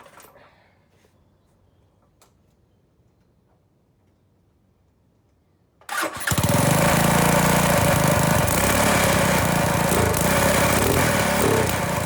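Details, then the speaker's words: 200cc shifter kart first startup after modifying and mounting the muffler to the header with the new exhaust setup: silence, then the engine catches and settles into a loud, steady, even rasp with no misses; running normally. "so I think we're ready to give this guy in first start up and see what she sounds like"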